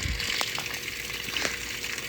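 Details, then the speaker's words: Whirlpool top-load washer after pulley repair: water swishing with only a faint steady hum, the earlier loud noise during washing gone. "Ahí está chavalos se le acabó el ruido no más ruido chavalones"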